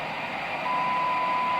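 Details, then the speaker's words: Late-80s Clear Channel Ranger AR-3500 radio, recapped and realigned after lightning damage, upper sideband, 60% modulation, 0.25 microvolt signal: soft hiss then clean steady ~1 kHz tone clearly heard; normal receiver sensitivity. "You can clearly hear that. Nice and clear. But watch this. You can even hear it down to 0.15."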